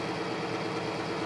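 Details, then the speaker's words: Oil-lubricated test rig with BestLine additive added, load brought back up toward 39–40 ft-lb at 184° temperature: even, steady mechanical drone with no squeal or grinding, much quieter than without additive; normal running under load. "There's 20. So much quieter."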